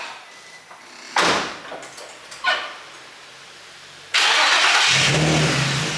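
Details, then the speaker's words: Infiniti G35 drift car, first start of its newly installed low-mileage engine, with high-flow cats and a Godspeed exhaust. Quiet crank, sharp start, loud revs settling to a raspy idle; owner says it's definitely loud. Normal start and rev. "Well, it's definitely loud if it don't do anything else."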